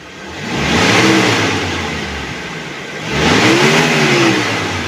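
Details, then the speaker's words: 2014 Mitsubishi T120SS 1.5 injection pickup, about 60,000 km: two clean throttle blips toward 4,000–5,000 rpm, revs rise and fall smoothly with no knocks or rattles; engine normal, only needs cleaning. "ini sampai RPM 40005.000 suaranya masih oke masih halus masih enak intinya ini mesinnya normal-normal aja cuman sedikit perlu dibersihkan gitu aja"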